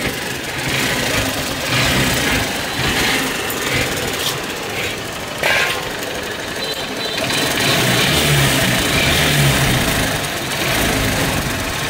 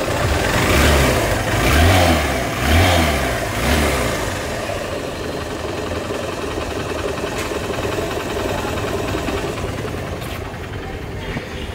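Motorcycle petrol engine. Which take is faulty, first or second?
first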